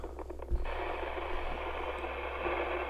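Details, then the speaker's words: HAM International Multimode II CB radio: transmit carrier hissy and rough over a low hum with freezer on C11 and VCO block; unstable VCO, fixed by replacing C11 and setting VR1/VR2 to 3.6 V. "doesn't seem to have made much of a difference so as you can hear it's still not very happy at all"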